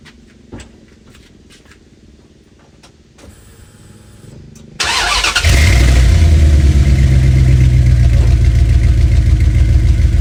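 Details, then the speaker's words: 1996 Dodge Ram 1500 5.9 Magnum V8 after fitting a Jones Full Boar 2-chamber muffler: cranks, fires and settles into an even, deep burbling idle with no misses, sounding more opened up; normal exhaust note. "Definitely sounds a lot better. A lot more opened up."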